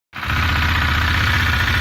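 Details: 2018 KTM Duke 390, 8,500 km: steady single-cylinder idle with light rapid metallic tick over exhaust beat, noticed for four months, clearer on deceleration; cause unknown.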